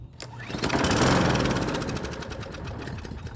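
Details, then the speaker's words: Free Hyper Tough 20-inch push mower: engine catches and revs briefly, then fades out and dies; a gummed-up carburetor is suspected, not confirmed. "I don't hear the thing priming. Oh, it's still acting up. We got to spray some WD-40 on that thing."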